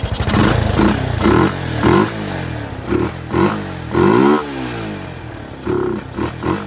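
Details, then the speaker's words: 1981 Yamaha SR185 single-cylinder after replacing faulty TCI with Ignitech, aftermarket carb: repeated revs climb cleanly with one faint minor bog; strong acceleration, previously very boggy from weak spark. "It's never accelerated like this before. It was very boggy before. definite improvement."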